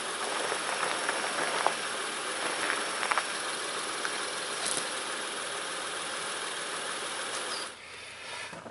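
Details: 2006 Honda Ridgeline RTL, engine at idle right after a DIY power steering pump replacement, fluid slightly over the full mark: steady even idle with a smooth hiss, no whine or groan from the new pump; steering turns easily, all healthy.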